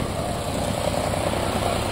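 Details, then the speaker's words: Nissan Versa 3-cylinder with 271,000 km, weak, misfiring under acceleration and using a lot of fuel: idle shakes and stumbles with uneven low thumps. "Carro está falhando, fraco, muito fraco. Funcionamento horrível, consumindo muito combustível. Carro com 271.000 rodado. Nossa, acelera. tá rateando."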